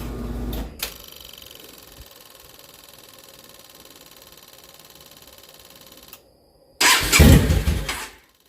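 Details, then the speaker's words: Yamaha V-Star 650 Classic after new fuel lines, fuel pump and carb work: starts, idles unevenly about five seconds then stalls while the fuel pump keeps priming; owner suspects an air issue, maybe too much air. "died pretty fast [Music] but you can hear the the fuel pump keep [Music] priming"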